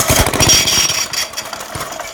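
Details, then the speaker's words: Trash-picked tiller with a fuel issue that runs inconsistently, pull-start attempt: harsh clattering bursts on each pull, ratcheting and rough with no firing; the recoil starter is badly worn and binding. "that sound is the recoil starter being awful"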